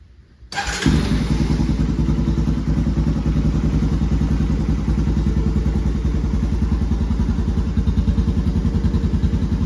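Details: Honda TRX 250X quad on its stock OEM exhaust (called restrictive), before the HMF exhaust install. Fires up quickly into an even single-cylinder thump, about three beats a second, smooth with no knocks; doesn't sound horrible, healthy idle.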